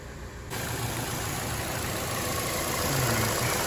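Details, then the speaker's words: Chevy Cruze 1.8L non-turbo at idle: steady airy hiss over low idle rumble from a major vacuum leak, a ruptured PCV diaphragm in the valve cover; fuel trims running very lean (short term 22–30%), fix is valve cover replacement. "think I hear a vacuum leak already. Let's check something. Oh yeah, I hear that."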